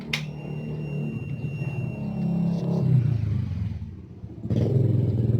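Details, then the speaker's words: Yamaha Vixion old model, engine after a connecting rod replacement: rough uneven clatter over the low engine note from the cylinder block, worn piston and rings suspected from infrequent oil changes; piston slap. "bisa dilihat ya bagian bloknya ini bunyi kasar karena kemarin tuh ada reaksi"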